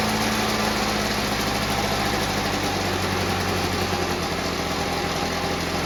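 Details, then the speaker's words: Victa Mustang 2-stroke mower rebuilt from junk with a Powertorque engine, fresh two-stroke fuel; running after first-pull start, fast even buzz, no stalling or surging, left to run out of fuel; sounds really healthy. "let that run out of fuel fantastic sounds like a really healthy engine"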